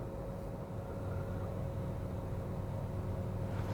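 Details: 1KR engine idling after repair of a misfire with code P0353 and the engine warning light; a smooth, even low idle hum with no stumbles, all cylinders firing cleanly.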